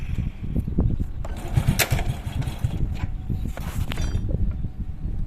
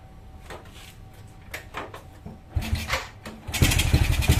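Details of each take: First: Honda Supra Fit carbureted motorcycle after fixing a flooding, leaking carburetor, during idle/air-screw setting with all parts fitted: small engine puttering at a steady idle without stalling or hunting. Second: Honda Supra Fit motorcycle with a leaking carburetor, where a bent part that should sit straight causes a leak, causing hard starting. The engine coughs through a start attempt, then catches with an uneven, stumbling beat.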